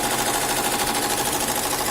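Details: Velles VE 15CN SC single-head embroidery machine after repair: the worn copier guide roller that made the presser foot strike the housing was replaced with another maker's part (e.g. Ricoma). Fast, even head clatter at about twelve beats a second, no knocking, running normally.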